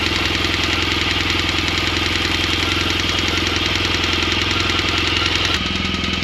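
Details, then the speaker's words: 2016 BMW R1200 GSA engine at idle: rapid, loud, steady ticking from the valve train. A grooved, worn intake cam lobe is not fully opening the intake valve, causing the tapping. "so basically that cam is not pushing the intake valve all the way in so the intake valve travels real short because of the groove in the cam and it just is tapping so loud"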